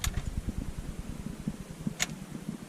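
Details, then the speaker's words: BMW E34 540i daily driver, swapped to a tuned 4.4-liter V8 running rich: turning the key gives only a fast, even low whir of the starter spinning freely; engine never turns over. Starter not engaging flywheel, previously sounded like bouncing off it. "I don't know if you can hear that or not, but that's all you get. You just get the starter spinning."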